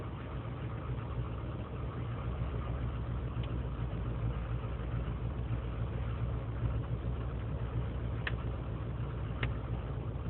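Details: 2003 GMC Sierra Z71 5.3L V8 (non-flex fuel) cold idle after overnight in single-digit temperatures, no throttle: low loping stumbling beat; lean and misfire codes, owner suspects leaking intake manifold gaskets; smooth once warm.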